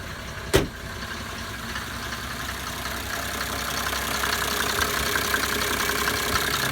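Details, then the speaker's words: 1980s Mercedes-Benz diesel after rebuilt, pop-tested injectors and new pre-combustion chambers: one brief knock, then quiet even idle patter, no miss; no white or black smoke, slight gray okay; fixed. "one smooth hurt and more importantly there's no smoke these are white north or black little bit of gray is okay but we got it got it fixed had a success"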